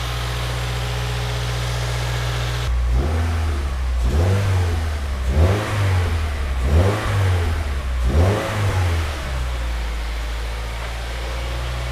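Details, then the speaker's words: Subaru WRX after an engine rebuild to cure rod knock, first start on a jump pack: sounded rough at first until oil pressure built, then a smooth idle and four clean, even throttle blips; no more rod knock, normal revving. "Didn't sound great off the rip, but that sounds better now. It's running, and it sounds really good. No more rod knock noise."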